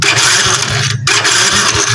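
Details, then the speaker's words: Honda Wave 100 that was knocking after a top overhaul, after the missing magneto washer was refitted and the loose magneto no longer wobbles: steady, even buzzing run with no knock or rattle at the flywheel end; engine now quiet, normal running. "so i-try nga nating iro papo lang natin yung makina try natin redondo yun mga boss tumahimik"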